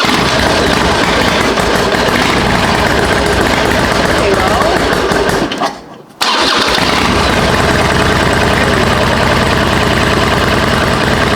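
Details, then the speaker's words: 2005 Harley-Davidson Sportster 1200 Custom, cold start in neutral with clutch pulled in, just after fitting a new TYKOOL lithium battery: strong starter crank, short pause, then a lumpy, steady V-twin idle. Starts readily with enough power. "Perfect. Well, it starts and it runs, and it sounds like it's getting enough power for sure."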